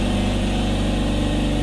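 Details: AEG air compressor after fitting a new pressure switch: a steady, even motor drone with a firm low hum and no knocks or rattles, building pressure. It runs normally, with only a known existing minor leak.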